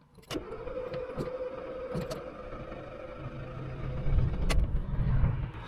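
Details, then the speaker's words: Diesel with a DPF warning light on, being restarted after pipe and coolant flange replacement: long cranking with starter whine, uneven rumbling that fails to catch, then heavy smoke as excess fuel burns off; flooded engine hard start. "look at all the smoke don't know if you can pick that up but that's all the fuel just burning off so yeah as suspected that's all it is uh just the engine is flooded with fuel"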